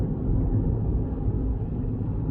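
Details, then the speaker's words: Vauxhall Corsa three-cylinder, no warning lights, pulling through the gears on a road run: deep, steady engine drone under load with no whine, clunk or grinding; all gears, gearbox and clutch fine. "fifth yeah all the gears are good no problem with the gearbox the clutch is nice"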